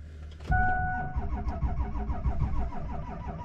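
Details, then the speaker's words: 2002 Ford F-250, 7.3 L Powerstroke diesel, on a test drive start after repairing rough running: heavy, slow uneven starter beats about four a second, dragging and stumbling after waiting on glow plugs; only one of two batteries connected, which owner suspects is the issue. "well hey this isn't sounding good hmm let's wait for the glow plugs i guess i really only have one battery connected and maybe that's an issue"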